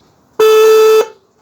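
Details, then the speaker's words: Opel Astra (G) horn, swollen and rusted; the other horn was already cleaned, this one is still faulty before sanding: single thin, flat, mid-pitched blast of about half a second. Weak horn from corrosion. "yani kornalar şişmiş kornalar paslamak bir tanesini şu an kurtardım diğerine başlayacağım diğerine başlamadan önce şu an bozuk iken çalışmaya doğru başlayan kornanın Sesini hep beraber dinleyelim"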